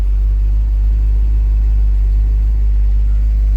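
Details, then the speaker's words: 1967 Barracuda with freshly installed 340 V8 and new headers-back exhaust, carb not yet tuned: deep, even rumble with no knock, tick or miss and good oil pressure; engine running healthy, though a separate rattle and power steering squeal were noted. "engine sounds good and everything. Nice, good oil pressure."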